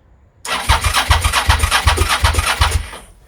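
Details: Suzuki SV650S cranking with alarm apparently off, neutral light still off: starter spins engine cleanly with even compression pulses two to three a second; cranking healthy, bike then starts.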